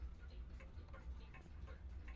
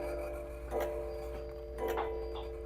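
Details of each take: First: Humpback mantel clock started with a slight tilt after the pendulum bob is refitted: light, even ticks of about two and a half per second, evenly spaced like a metronome, so the clock is in beat. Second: American-made antique humpback 8-day mantel clock that cannot be turned backwards: clear bell strikes about a second apart, the strike count off from the hands, as it strikes the wrong number of times after hands were advanced before striking finished.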